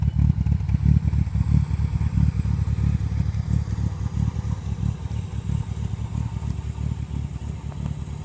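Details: 1957 Morgan Plus 4 with Triumph TR4 engine (about 2188cc), cold start, good oil pressure: lumpy uneven low putter loping about three times a second, running rough because the choke is still on.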